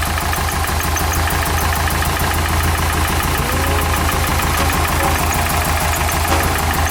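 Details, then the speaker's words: Nissan 240SX S13 after new hose clamps: lumpy uneven idle, engine shaking, sounding like two cylinders, dies instantly when revved; rough idle, cause not found. "Doesn't sound like it's running on 2 cylinders. If it wants to rev up at all. No, you see the engine shaking so much. Yep, there it goes again. Wow, this motor bounced."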